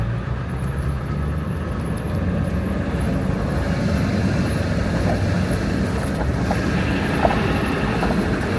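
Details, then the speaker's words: 2001 Ford F-350 Power Stroke diesel (truck had rolled over) driving after finally starting; steady, even diesel drone with road rumble, no knocks or misses: normal engine running under load, runs pretty good. "How's she running? She runs pretty good. Not bad at all. Not bad for a truck that rolled over."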